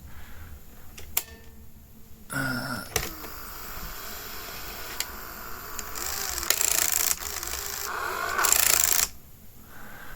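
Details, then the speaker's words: 1984 JVC HR-D725EK VHS Hi-Fi VCR during rewind/fast forward: uneven rapid plastic clicking and rattling over the mechanism; a loose plastic piece chattering in the tape transport. "Fairly common, I think, on this sort of generation of JVC, or JVCs in general, to be honest. So hear the chatter there of the"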